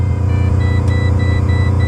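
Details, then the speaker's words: Pontiac GTO, after hard laps the night before, starts and sits at a steady 3500 rpm high idle with no drop-off; owner hopes it's the idle air control valve, TPS already replaced twice; cause unconfirmed. "now when I go to start the car tell me what doesn't sound right tell me what doesn't sound right [Music] it's 3500 RPM idle"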